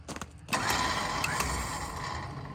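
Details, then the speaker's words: Winch pulling a 1985 Ford F350 dually (460 big block, C6 auto), parked in a barn about 12 years and dragging: strained motor whine with rough mechanical grinding; owner suspects the much-used winch's gearbox is going out, not confirmed. "Winch ain't liking this. I think the gearbox is going out on my winch. Put it in gear. That went pretty good. Yeah. Except for the sounds my winch is making."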